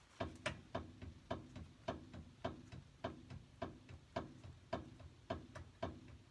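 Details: 2011 Ford Ranger, wheel off ground, rocking wheel by hand; hollow thunk about every half second from worn upper ball joint in upper A-arm, causing steering wander, not tie rod or wheel bearings.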